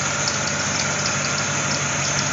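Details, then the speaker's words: C4 Corvette A/C converted from R12 to R134a, system initially empty: harsh strained churning with faint ticking over running engine; compressor sounds terrible, slugging liquid refrigerant from upside-down can, pressure very high then falling into green zone. "still very very high pressure compressure sounds terrible there we go see it's falling down into the the green zone that's what we want"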